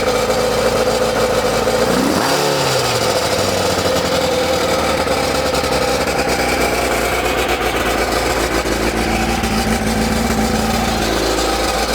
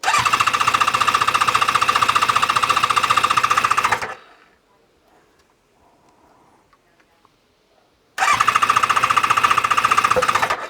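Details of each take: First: ZZR600 four-cylinder under restoration, restarted after fitting a cap in the exhaust: one brief blip, then an even, busy idle with no misses on all four cylinders. Normal idle; it hangs slightly on revs, and the owner hopes to adjust the mixture. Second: ZZR600 four-cylinder during restoration, after exhaust work, on a hot ~30°C day, with a little then more choke: two bursts of steady cranking, about four beats a second, with no firing yet. Empty carbs are filling; fuel level is dropping and there are no carb leaks.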